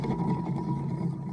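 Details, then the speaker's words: Kenworth T600 semi alternator removed and spun by hand: rough, gritty rumble with a faint steady whine; bearings badly worn, alternator replaced. "Got the alternator off. It's over here on the back of the truck. And you can tell how bad the bearings are in it."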